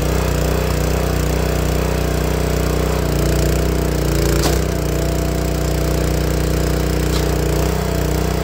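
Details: Honda GX160 log splitter engine after replacing the failing spark plug that caused popping when warm: steady, even single-cylinder beat at constant speed with no popping or missed firing.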